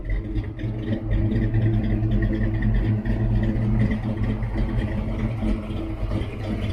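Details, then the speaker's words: Fox-body V8 "Calypso clone" with new SVE 170cc heads, exhaust still not fully sealed: lumpy V8 idle with an uneven low rumble and light puffing clatter; the owner suspects a leak or two at the header flange. "I think I have a leak or two down at my flange, but hey, the thing sounds a lot better than it did, and it was horrible before."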